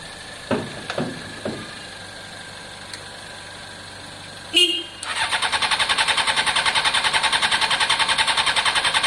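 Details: Honda CBR600 F4i non-runner, accident-damaged and unused for years, after injector cleaning with cleaner and fresh fuel: a few clicks, then steady fast starter churn that never fires; cranks but won't start. No fuel pump prime heard, and fuel delivery is suspected.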